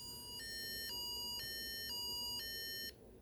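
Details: Implanted pain pump whose drug reservoir ran out after a missed refill appointment: two-tone alternating high beeps, about two per second, repeating evenly then stopping; the pump's critical alarm for an empty reservoir.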